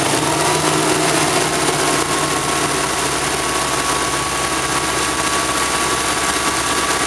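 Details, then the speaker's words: Van engine recorded through the doghouse, sitting in the driveway, smoking at start then clearing, as it does every morning: uneven, lumpy running that stays equally rough when revved; owner suspects fuel injectors, worse on the road. "You hear how it's running. I can give it some gas and it'll run the same, just higher RPM."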